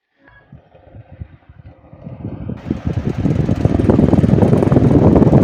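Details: Table fan with a shaft problem making noise: spools up with a steady low rumble and a rough, rapid flutter that grows with speed, suggesting a worn or dry shaft, though the cause is not confirmed.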